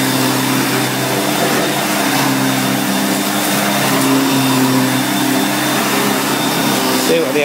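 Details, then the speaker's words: 1990 Electrolux 616 Electronic (Z616AE) vacuum cleaner, bought used and cleaned, running during edge-cleaning test: loud, even motor hum at one steady pitch, no surging, rattle or scraping; motor runs really good. "so as you can hear it runs really good"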